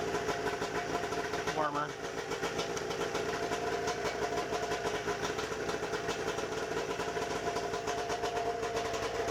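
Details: A warm 1992 Arctic Cat snowmobile two-stroke is restarted by pull cord after the safety switch fix; the owner finds it smokes more than he'd like. It pulls through a steady, even buzz without misses or hunting; the engine runs normally.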